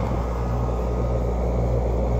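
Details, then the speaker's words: LG 5000 BTU air conditioner starting on a 1500 W inverter and battery pack after fitting a Supco SPP6 hard-start capacitor: smooth steady low hum, starts up pretty good with less voltage dip; normal running. "that was a little better Bolton twice that went up to 90 look like started up pretty good"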